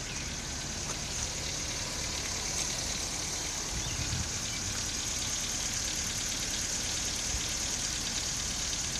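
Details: 2017 Nissan Micra SV, under 7,500 km and tapping since before 1,200 km: steady idle with a light, quick tapping over a hissy top end; dealer refused to acknowledge the issue, cause unknown.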